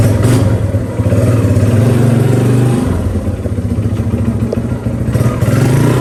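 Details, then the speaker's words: 1982 Honda XR80 fitted with an XR100 engine, restored after a leaking tank and a tank sealer that nearly ruined the engine. The air boot is refitted with one clamp missing. It starts right up, revs crisply and settles into a steady even thump with no ticks or knocks. Normal running. "oh well let's see if it starts up sucker starts right"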